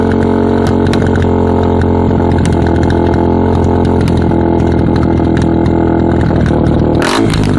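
Single-cylinder idle thumps loudly with an uneven, lumpy beat, then a sharp blip near the end; idle is rough, cause unclear.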